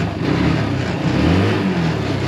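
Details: Yerf Dog Rover 150cc UTV with a GY6 engine, running again after a suspected loss of prime and a refit of the original vacuum fuel pump: revs cleanly and holds an even drone, no misses or pops; normal running.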